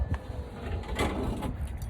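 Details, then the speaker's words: 1986 Ford Bronco after window regulator rebuild: irregular hollow clunks and rattles inside the door as the window moves, from still-loose linkage rods knocking; window itself works fine. "that noise is the rods for the linkage in here still loose i gotta fix that but at least the window works beautiful"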